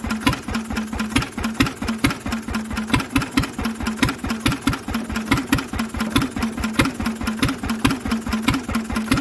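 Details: Lister engine on its first start in 40 years, cooling tank fitted, running on a little choke: slow, even thumping beat about 1.5 per second with clean firing and no big-end knock; mechanically it sounds lovely.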